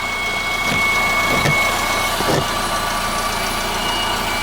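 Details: 2015 Honda Civic 1.8 petrol, 73,000 miles, Texas car, idling just after an oil change done about 2,000 miles after the previous one. Even, quiet idle with a soft hum, no knocks or ticks, no leaks. Normal idle.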